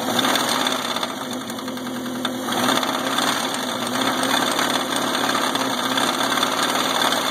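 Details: Subaru EA81 engine that runs well with no missing, a smooth idle and good gauge oil pressure: steady idle with a rough, uneven tapping about three per second over the engine note. Engine knocking at idle, origin unknown.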